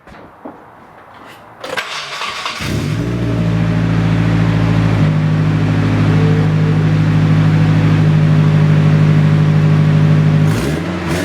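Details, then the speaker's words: Nissan 240SX started for the first time in 2 years after being rebuilt onto a different chassis, with a temporary length of heater hose fitted: it cranks, catches quickly and idles smoothly, revving cleanly. It runs like a very loud, raspy sewing machine. "Alright, that thing runs like a sewing machine. A very, very loud, raspy sewing machine."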